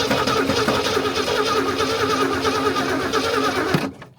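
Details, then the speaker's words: 1964 Ford Ranchero, first start after sitting since 1986, corroded points cleaned: soft uneven puffing with slight gallop at idle, heard through valve cover; stuck valve suspected, unconfirmed. "I think we have a stuck valve. Just puffing. I think I hear it coming up through the valve cover."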